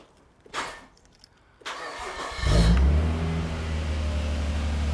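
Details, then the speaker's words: 1998 Nissan R34 Skyline GTR (automatic), after IACV cleaning and new TPS calibrated to 0.51 (spec 0.45–0.55): cranks, catches cleanly, settles to smooth steady idle at about 750–800 rpm, no hunting; high idle fixed. "all right I got that is sitting at about 800 750 to 800 RPM at the moment so uh I'm stok with that that's awesome"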